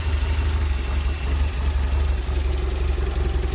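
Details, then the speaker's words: Porsche 924 after fitting a new fuel pump and accumulator, cold start after weeks unused: low, uneven, hunting idle with loose irregular pulse and clatter; runs slightly better when the airflow meter plate is lifted by hand; cause unconfirmed. "But obviously the engine hasn't run for a few weeks, so it is a cold start. I mean, the main thing it's running, and that means the fuel pump is working."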